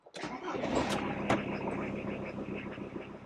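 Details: 1997 VW T4 Caravelle camper diesel, auto converted to manual, sat unused about 19 months, suspected starter cable/connector issue: short crank, catches at once, settles into even steady idle; starts normally.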